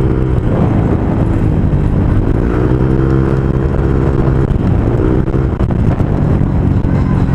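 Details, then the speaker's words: Honda Click V2 scooter with newly installed JVT pipe V3 adjustable (2021 model): deep even exhaust drone rising and falling with throttle blips, no rattle; earlier noise was a loose sensor, sound now healthy. "Grabe, ang ganda ng tunog guys."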